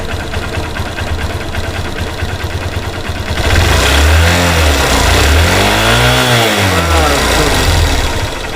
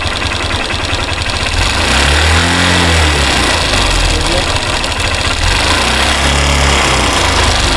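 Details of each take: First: Hero Xtreme Sports motorcycle, 51,129 km, after replacing the timing chain with a silent chain: even single-cylinder idle then a smooth throttle blip rising and falling with no rattle or ticking; top end quiet and healthy. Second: Hero Xtreme Sports motorcycle, 51,129 km, engine never opened: light metallic kit-kit ticking about four per second at idle, quickening and swelling as throttle is slowly opened; worn timing chain rattle, chain later replaced.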